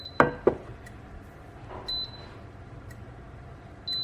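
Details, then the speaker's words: Electrolux single induction hob with cracked glass, pan placed and power pressed; two sharp clicks then two short high beeps, it fails to detect the pan and does not heat. "chỉ nghe tiếng tạch tạch và Tít Tít thôi Như như vậy nó không nhận nồi và quả không chạy"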